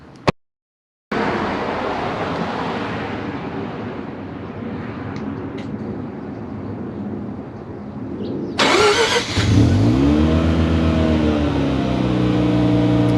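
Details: Mazda RX-7 FC3S rotary engine started by a newly installed Compustar CS920-S remote start, still working a couple weeks later: it catches and settles into a smooth, even idle with a steady drone. Starts and runs normally; normal idle.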